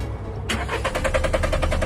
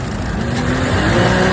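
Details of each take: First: Used car, crank no start: starter turns the engine at a quick even beat of about eight pulses a second but it never catches, despite earlier new spark plugs, cleaned throttle body and fuel lines, and a new fuel pump. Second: Same used car after cleaning both fouled camshaft solenoid valves, which had caused a crank no start: starts first try, strong smooth rev climbing steadily with no misses, knocks or rattles; engine runs smoothly and pulls cleanly.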